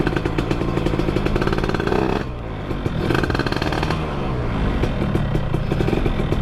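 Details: Suzuki Satria two-stroke with porting, revving: dry metallic clatter over the exhaust on the clutch side, a clutch rattle from primary gear backlash; a slight piston noise is heard but judged harmless. Ignition timing was suspected too advanced.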